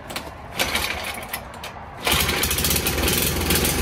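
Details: 1980s MTD mini bike, sat 2 years, swapped to a Tillotson 212cc engine, junk in the filter: after a quiet stretch the engine catches at about two seconds and settles into a steady, busy run; starts fine.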